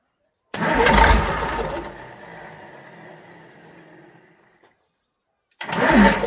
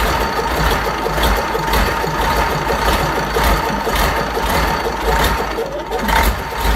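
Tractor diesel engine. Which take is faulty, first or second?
first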